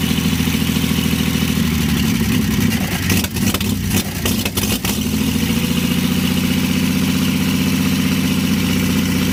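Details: 1952 Chevy engine restarted after refitting the fuel pump ground wire, which had caused the earlier stall, running on gas with a little oil mixed in; steady low drone with a brief wobble and blip, then settles to an even idle. Carburetor rebuild pending.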